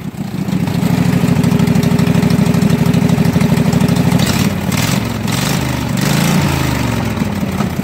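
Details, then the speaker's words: Husqvarna mud mower, 18hp Kawasaki V-twin, run after about 5 minutes fully submerged in a pond with water in the gas and oil; float bowl drained, fresh gas with Sea Foam. Steady, even putter at idle with no misses, so it is running normally. "so apparently this is a really good motor if it was completely submerged under water watering the gas um watering the oil a lot of water in the oil and it fired right up and ran"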